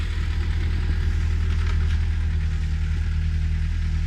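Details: VW Golf Mk4 1.4 petrol after fuel filter replacement, running after an initial failed start: steady low hum with an even, settled pulse and no misses or stumbles; no leaks seen, idling cleanly.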